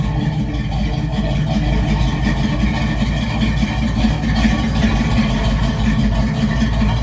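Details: V8 race truck (Holley) idling after fuel lines re-plumbed and fuel pump rewired, dual-chamber mufflers: deep steady lumpy idle with no misses or stumbles; normal idle.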